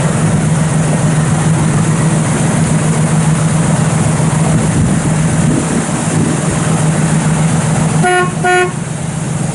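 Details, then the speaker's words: 1971 Chevrolet Nova SS, frame-off restored show car, fires right up and idles so quietly it can barely be heard from up front: steady, even low rumble with no misses or knocks, one short horn toot near the end; normal idle. "Thing fires right up. Can't even hear the thing hardly run up front."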